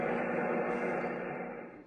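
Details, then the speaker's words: Amateur radio receiver on 80 m: steady hiss with rough buzz filling the band, fading slightly near end; heavy interference swamping reception, suspected from local powerline infrastructure. "If the conditions are good, I should be able to copy the net. But that's a lot of noise."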